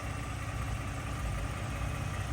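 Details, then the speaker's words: 2018 Ford truck with 3.5 EcoBoost, idling: steady low idle with a faint even tick, which is the normal engine noise, and no wastegate rattle. "so as you can tell my truck is running and all seems to be quite it's got a little tick tick tick but that's that's the normal engine"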